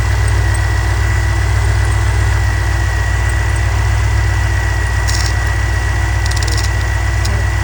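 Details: Chevrolet C10 with Holley Sniper EFI, earlier misfiring and backfiring, after setting ignition timing to 15°; steady, even low idle with a smooth rumble and no stumble or skipped beats; normal idle.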